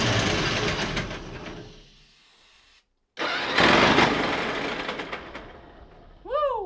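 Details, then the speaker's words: Pony motor of a 1950s Caterpillar 955 Traxcavator, fueled and oiled: harsh churning crank that dies away, then more cranking with no steady firing; it won't start because the gas was left turned off. "whew it might help if i turn the gas on"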